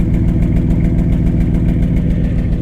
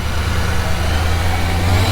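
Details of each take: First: Salvage Ford F150 Harley-Davidson truck, V8 idling: a deep, loud, throaty, even rumble that is louder than stock. The owner suspects the catalytic converters were removed, but this is not confirmed. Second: Salvage Ford F150 Harley-Davidson truck with an expensive built engine: a deep, loud, steady roar with an even low rumble and no knocks or misses, much louder than expected but running normally.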